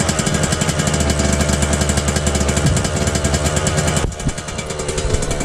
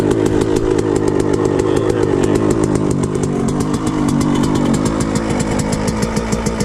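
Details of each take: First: Suzuki RM125 two-stroke after engine rebuild, during break-in, stainless exhaust, choke off; fast raspy high idle easing off slightly, exhaust spitting old premix; high idle after start that eventually drops, cause unknown. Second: Suzuki RM125 two-stroke after engine rebuild, started first kick, choke off: fast crackly idle that starts high and slowly drops, slight wandering revs and popping, exhaust spitting old premix; engine running normally.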